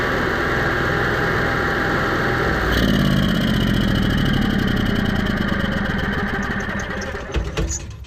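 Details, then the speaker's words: Onan 5500 motorhome generator that idled rough, died and backfired, after carburetor cleaning and fuel filter refit: catches after a few seconds, then settles to a steady, even run with no stumbling or surging; running normally. "Okay, so that actually started up pretty fast. It sounded actually really good."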